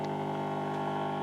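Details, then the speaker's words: 1950 Telefunken Musical 9650a valve radio: loud steady low buzzing hum with stacked tones, described as lack-of-filtering noise; mains hum suspected, not confirmed. "Bueno, hace el mismo ruido, digamos, de falta de filtrado."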